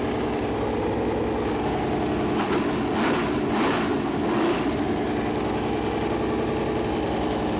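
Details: Freshly built Chevy Performance 454 big-block V8 on a run-in stand at first fire-up: settles into a steady, even idle with no knocks or misses. Normal idle; oil later leaked from the plastic oil-gauge line that touched the headers as it warmed.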